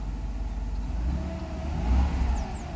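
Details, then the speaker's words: 1993 Mercedes 500SL V8 cold, in warm-up at 12 °C: couple of throttle blips rising and dropping cleanly with no stumble or miss; accelerates fine, healthy gas pedal response. "So it accelerates fine. I don't want to rev it a lot because it's still in cold, in warm-up stage."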